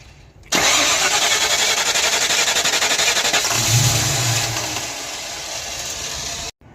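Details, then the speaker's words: Mystery project car, battery tested dead and replaced, distributor loose with timing unknown and rotated to find a starting position: starter cranks about four turns a second, catches with a low burst then stalls; occasional spark, ignition timing suspected. "We're getting some spark occasionally because it has fired and then immediately stalls out."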